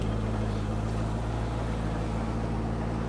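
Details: Auction Corvette V8 with no mass airflow sensor, idling briefly: steady, even low rumble with no knocks or misses; engine nice and quiet, runs great, radiator holding; normal idle.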